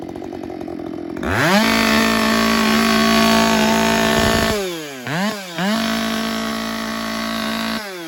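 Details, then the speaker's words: Husqvarna 572 autotune chainsaw being reset after a clogged air filter: at full throttle the saw bogs, then rips back up to a steady high scream as it regains peak torque, pulling clean and strong; normal full-power cut. "right at the very end you can hear it get back into the peak torque of the motor"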